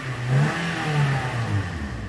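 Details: Toyota Corolla XLi 2010 that stalled while driving and took throttle poorly (codes P0340, P0368, P1605, misfire); after clearing codes and with AC on, engine picks up cleanly and holds a steady, even note with no stumble.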